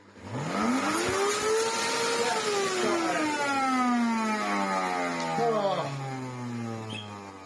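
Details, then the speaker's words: Miele U1 upright vacuum stored long in a garage, run without filters and used without a bag: motor whine sweeps up, sags and wavers with rough labouring tone; motor fan packed with dirt. "if it's been used without a bag that's it could be worse that is the fan full of dirt and crub"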